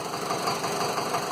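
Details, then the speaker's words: Land Rover Series 2a 88 with a 2.25 diesel, just started after glow plug preheat, idling with lots of blue smoke and a misfire (injector suspected). A steady knock keeps pace with the engine; owner unsure whether it is a valve. "but there is definitely some kind of a knock, and I don't know whether or not that's the a valve."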